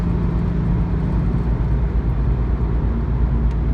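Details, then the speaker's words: 2004 Nissan G35X sedan cruising on the interstate after the heat shield was removed to fix a rattle: steady low road and engine drone at highway speed, with no metallic rattle. "we got the heat shield off the car it sounds beautiful my guy"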